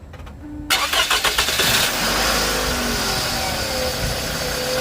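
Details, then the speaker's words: 2nd-gen Scion xB after repair of a loud hissing noise with loss of power and pulsating rpm: it starts, settles into a steady idle and revs briefly with no hiss or stumble. The slow throttle response is gone. "all right guys so that was the problem um I'm not getting that slow uh throttle response anymore"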